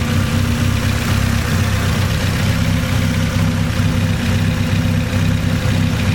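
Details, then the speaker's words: AE86 Trueno, turbo 4A-GE with new forged engine build, after turbo checked with no leak (gasket may need redoing); steady, even idle, smooth low rumble, no knocking, ticking or air hiss, exhaust perhaps slightly louder: normal idle. "yeah it sounds like the exhaust slightly louder than before or maybe just my imagination"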